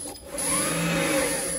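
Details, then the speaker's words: Renault Zoe ZE40 after motor bearing replacement, running in drive: a steady high whine from the motor, which sounds healthy and far better than before, over a slight mechanical rustle from the reduction gear, which has no oil yet. "so there's no um there's no oil in the reduction gear so you get that slight mechanical noise but the high pitched one is the motor yeah I think that's fine"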